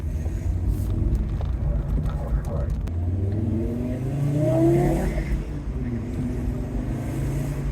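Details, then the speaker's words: Fiat Coupe during restoration, driven on the road under acceleration: engine pulls smoothly through the revs with no misses or knocks, even power delivery and tyre noise; normal acceleration. "power deliver is nice and smooth"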